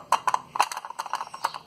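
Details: Chery QQ, driver-side front wheel, noise over potholes while driving: light hollow plastic clacks in quick irregular bursts from a loose wheel trim cover knocking against the wheel, fixed with double-sided tape.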